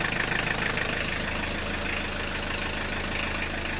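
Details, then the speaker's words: Audi 80 revived after long standing, diesel idle; loose uneven metallic rattle with clutch pedal released that goes away when pedal pressed or pumped, suspected clutch release bearing; clutch master cylinder also faulty. "And, as we could also hear in this video, when I don't have the clutch pedal pressed down Then occasionally something is making one hell of a rattle When I press the pedal down, as well as when I pump that pedal, then soon enough I can make the rattle go away"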